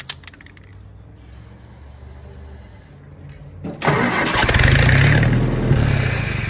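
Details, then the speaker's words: Willys-powered Army skid generator, electric fuel pump running: several seconds of weak cranking, then catches and runs rough; runs only with prime, owner suspects something clogging the carburetor. "well we know she runs with with a prime so that means we just got to figure out what's stopping that carburetor up"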